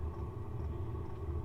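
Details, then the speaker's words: Diesel heater (Happybuy 5 kW) warming a trailer, with a four-foot exhaust extension: steady low roar of burner and fan ramping up, with faint soft fuel-pump clicks about twice a second; heater running normally. "can hear the burner going and the clicking of the pump you can hear the fan ramping up you can also hear the pump ramping up"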